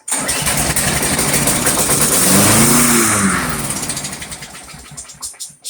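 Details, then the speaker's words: Briggs & Stratton Quantum Craftsman mower after storage with old fuel, primer only: catches briefly on primer fuel then sags and dies; fuel in bowl but not pulled through suspected clogged main jet; cleaning planned. "Right. So my evaluation, there is fuel in that bowl. The primer does get some into the throat of the carburetor, but it doesn't then continue to pull the fuel through the main jet to keep running."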